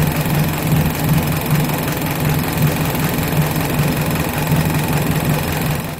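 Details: 1983 Suzuki Jimny SJ410 with rebuilt stock F10A engine, Aisan carburetor, straight-pipe exhaust, after cold valve lash set to 0.10 mm intake and 0.15 mm exhaust: even, steady idle with a light, quick valvetrain patter and no loud tapping or stumbling; healthy.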